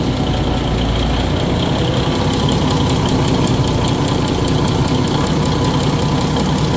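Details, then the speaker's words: Cummins NT855 Big Cam diesel, first crank after rocker install and valve/injector adjustment, no turbo connected, about 10 of 11 gallons of oil in, oil pump reference line needed tightening; steady idle, low rumble, regular injector ticking, normal. "got sounds pretty good good oil enough I think I got it just I just need to tighten it up a little more"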